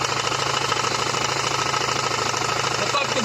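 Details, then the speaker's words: Renault 1.9 F9Q diesel at idle with the wheel and underbody shield removed; a rod-like knock at about three per second vanishes when the belt tensioner roller is pulled, so it comes from the accessory drive (crank pulley, alternator rear bearing or A/C), not the rod. "Звук стукотит, напоминаю, иначе шатун. Так стукотит. По факту это не шатун."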